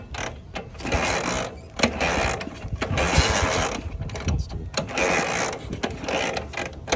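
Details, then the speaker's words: BMW R60/2 motorcycle after motor swap and top-end rebuild, about 5 miles since rebuild: slow lumpy idle with irregular chuffs nearly stalling; idle set far too low, carbs to be cleaned again and idle raised. "Care got idling very low so should probably bump the idle up we'll clean the carbs again"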